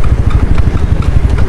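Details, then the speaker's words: Scooter riding slowly after fitting a new disc brake and brake pads, fitted because new pads had made a rattling, scraping noise: steady engine putter, brakes applied repeatedly with no squeal or scrape. "yan oh preno ulit preno preno wala wala wala tayong Walang ingay"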